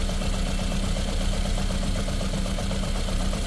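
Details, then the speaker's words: Ford Figo petrol/CNG engine idling unevenly with a lumpy, irregular beat and very bad vibration inside the car: misfire, cylinder not yet identified. "यह ऐसे vibration है गाड़ी के अंदर मतलब बहुत बुरा वाइब्रेशन है हमें कन्फर्म करना है कि कौन सा सिलेंडर से मिस फायर कर रहा है"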